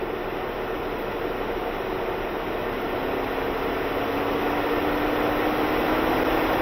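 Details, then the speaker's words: 2011 Ford Edge 3.5, code P0480, after cooling fan assembly replacement, fans commanded up via scan tool: steady, even rush of air with faint hum climbing slightly, never cutting out; both fans running properly at high speed. "oh yeah I'm sure you guys can hear that are they both running yes they are both running"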